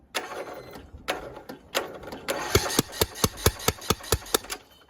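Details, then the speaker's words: Craftsman YS4500 riding mower with a Kohler Courage engine, cranked on a jumper pack: sharp, even puffs about four a second with a hollow chuff blowing back out the intake, and fuel is seen there. Compression is leaking past loose cylinder head bolts. "Okay. Apparently the exhaust is now the intake. What is going on?"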